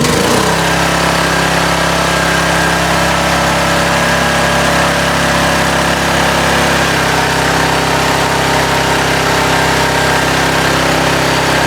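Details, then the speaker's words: Titan industrial generator, about 20 years old, single-cylinder engine stored in a barn and unrun for six to eight months, running with air cleaner (breather) removed: steady, loud run with harsh, raspy intake roar; loud intake noise. "I'm going to put the breather and all back on. I'm going to be a lot quieter."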